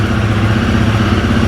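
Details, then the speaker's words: Royal Enfield Guerrilla 450 single-cylinder at idle after earlier rough, erratic idle and a lost TFT display, with warranty repair pending; the fuel pump primes and the tick-over is now even and steady with no stumbles or surging: normal idle. "In fact, I've got to be honest, that sounds a lot better today. Yesterday, it was all over the place."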